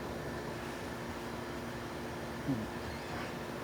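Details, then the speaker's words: 1970s Amana 18,000 BTU (1.5 ton) room air conditioner after cleaning up compressor connections: low quiet steady hum, no rattles, clicks or grinding; compressor running smoothly, whole coil cold and sweating. "That compressor sounds good. That's quiet for one and a half ton. That sounds good."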